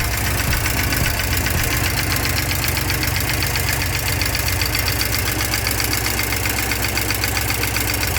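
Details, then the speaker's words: 1987 Porsche 944 idling roughly on first start after years sitting, oil not yet checked, leaking cam tower: fast even light ticking about four per second, valvetrain clicking possibly from low oil. "All right, I'm going to shut it down because I forgot to check the oil. And with a leaky cam tower, you can hear it's like clicking. That's probably not good."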